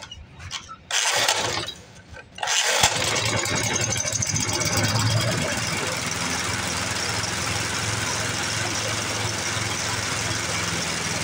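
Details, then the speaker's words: 1982 Snapper Hi Vac mower stored for years, first start on fresh fuel with carb cleaner and air filter off: several cranks, then it catches and settles into a steady, slightly uneven run; owner plans carb tuning. "well now just didn't run too awful bad did she fired Right Up grand decent"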